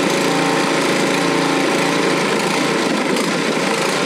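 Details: Single-stage snowthrower running on 18-month to 2-year-old gas double-treated with Stabil, first start of the season: it catches and settles into a steady, even buzz with no misses or knocks. Normal running.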